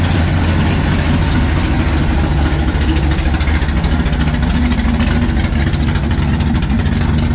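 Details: 1957 Chevy pickup big-block V8 at first fire-up with the new exhaust (Black Widow mufflers, 3-inch mandrel-bent pipe): loud, throaty burble holding a steady lope without stumbles or ticks, a strong even idle.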